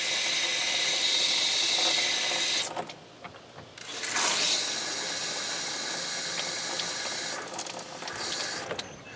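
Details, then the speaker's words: 2012 Rockwood RV fresh water system being pressure-tested: a steady high hiss of running water, briefly cut off and then resuming, shows good water pressure and normal flow. "well let's see if we got water pressure I do"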